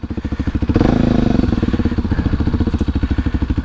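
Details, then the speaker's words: Kawasaki Super Sherpa dirt bike, not run in a year, starting right up after a popped-off fuel line was reattached with a clamp; even, steady thumping idle with regular firing pulses, idle set slightly low; speedometer, neutral indicator and lights working. "good bike speedometer is working neutral indicators working got lights the idle's a little low let's turn up the idle some"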